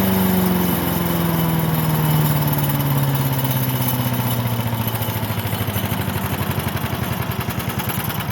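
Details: Briggs and Stratton small single-cylinder engine after fuel diaphragm repair fixed a no-run: fires up and settles into an even, steady putter with speed easing down smoothly, running healthy.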